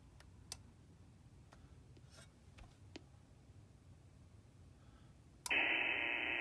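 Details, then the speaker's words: Solar charger near ham radio rig antennas for POTA setup: quiet receiver with faint clicks jumps to loud steady hissing buzz, full-scale noise; radio interference from the solar charger. "Solar would be screwing this rig up big time because the antennas are near the back of them. Look what solar does. Full scale noise."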